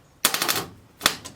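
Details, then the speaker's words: Ford flathead engine, sitting for years, first start attempt with choke on: two bursts of rapid clicking, engine not turning over; starter suspected, later found the motor was a little stuck. "what are you doing then must be the starter you got a hammer and an extension nothing then it's kicking out but it's not spinning over"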